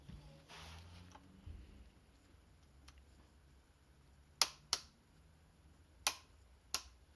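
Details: 2010 Yamaha XMAX 125 scooter with a new battery: four sharp, isolated clicks about a second apart with no cranking, caused by a bad starter relay.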